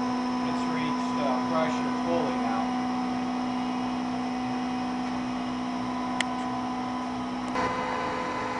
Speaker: all right okay we're gonna turn the unit on you can hear how it runs how it sounds it just turned out to load the compressor now it's a soft start unit it saves energy when it's off starts and also saves the motor